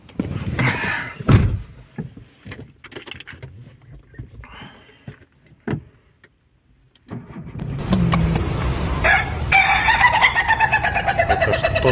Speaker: Это что за петушиные звуки такие?